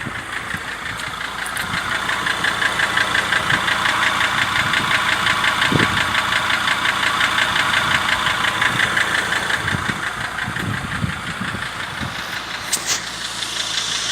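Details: Mercedes W209 CLK 270 2.7 CDI diesel at idle, about 3000 km after near-overhaul (rings, bearings, honed cylinders, two scored): steady sharp knock about three per second over normal clatter, louder than right after rebuild; cause unknown.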